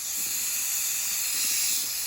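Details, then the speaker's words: Nuwave 13qt electric pressure canner after canning bacon ends, valve opened manually: steady high-pitched hiss of steam venting evenly with no sputter or rattle; normal pressure release. "So my head's not over it, but I am going to put a towel around it, and I'm going to turn it to release the steam."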